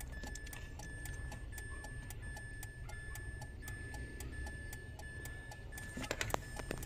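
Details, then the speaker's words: Mitsubishi Mirage hatchback push-button start, no click, no crank, no start, key blinking: quick regular ticking two or three a second with faint steady beep as alarm triggers; fuses intact, bus error code found; cause unconfirmed. "oh pagka ganyan kasi ano yan nag-aalarm nag Hindi aandar yan"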